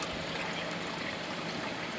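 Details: Air cooler whose fan motor stopped while pump kept running; after touching the regulator the fan runs with a steady rush of air and trickling water, no hum or rattle; fault found in the regulator, to be replaced.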